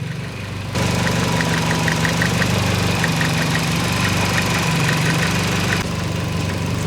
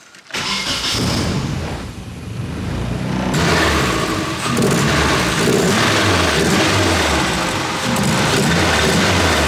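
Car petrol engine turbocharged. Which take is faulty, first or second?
second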